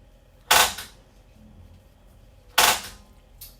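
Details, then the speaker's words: 2022 2850KRL Alta travel trailer oven, LP gas: knob held in at pilot position while sparking to purge air not yet purged today; two sharp crisp snaps about two seconds apart over near silence, normal igniter sparking before pilot lights. "i'm going to push in and hold while i spark and this may take me 30 seconds may take me 45 seconds or a minute even to purge the air i have not purged the air today in the oven"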